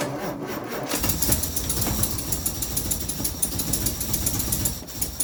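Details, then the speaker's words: 1964 Austin Healey 3000 Mk3 cold start after weeks unused, starter motor freed with a crowbar: cranking turns into ragged, uneven firing with gaps and surges, not yet running on all six cylinders; misfiring while cold. "but it's not yet running on all six and we haven't yet seen anything on the rev counter but I can hear them building but she lives and she runs"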